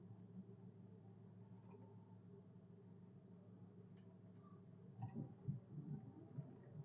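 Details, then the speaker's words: 1973 Chevrolet Chevelle V8, which ran rough and backfired because the firing order was wrong; after the firing order was corrected, it has a quiet, steady, even idle rumble with no stumble or miss. This is a normal idle. "you can just hear how much happier the engine is"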